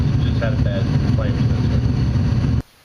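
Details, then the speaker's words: Furnace after a dirty flame sensor was cleaned; the igniter fires, then a steady low roar holds evenly with no flame dropout or cycling, running normally. "There goes the igniter. flames are on and now it's running."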